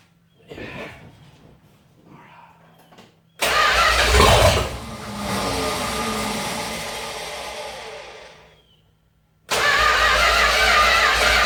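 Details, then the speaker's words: 1969 Dodge Dart 273 V8, first start after engine R&R years ago, carburetor filled by hand: cranks, catches and revs briefly then fades and dies; runs only on carburetor prime, no fuel supply. "okay I filled up the carburetor more so let's see if we go"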